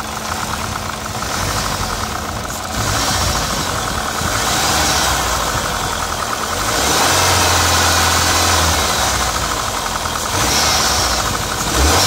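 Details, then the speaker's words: PT Cruiser GT, started the morning after a two-hour drive: rough uneven idle with loud hard diesel-like clacking, steady and persistent; valve stuck open from a sheared cam pin. "i know what you're thinking that sounds horrible it does this all happened a while ago but i figured i should make a video of it since it's pretty interesting after taking a two-hour drive home and parking the car the next morning when we started up i noticed it sounded like a diesel"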